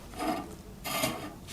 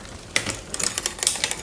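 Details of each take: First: Raleigh Detour 2 wheel, already nearly true, spinning in truing stand with gauge arms set very close: raspy scrub about every two-thirds of a second, once per turn, as the out-of-true spot catches a gauge arm; rim rubbing. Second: Raleigh Detour 2 on the stand after new derailleur hanger, shifter and tune-up; light crisp freewheel and chain ticking with clean shift clicks, no grinding or skipping; shifting sounds properly adjusted.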